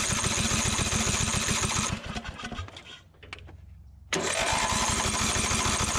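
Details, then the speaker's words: 2004 Craftsman DYT4000 riding mower (Briggs & Stratton), left to rot in a field: starter cranks at about 3.5 beats per second, pauses, cranks again without catching. Fuel can't reach the cylinder past the curved intake tube, so starting fluid is tried next. "i might try a little starting fluid just to see because i'm having a hard time getting that gas down in there"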